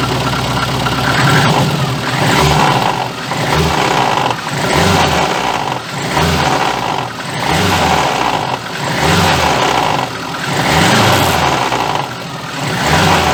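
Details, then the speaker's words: VAZ 2114 engine, knock for three days, vibration when dropping from 2000-3000 rpm: repeated rev blips about every 1.5 seconds with rattly clatter on each rise and fall; crankshaft damper pulley found cracked with play, needs replacement. "и вот в момент когда сбрасываешь газ начинается эта вибрация вот это колбаса"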